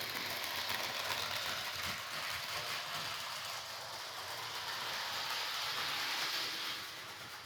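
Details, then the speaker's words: HO scale 2-10-10-2 model locomotive running around the track: fast light tapping about four per second over the motor whir, from a truck wheel lifting off the rail for lack of a spring. "but that's pretty much it um race it around the track a little bit you'll hear it tapping"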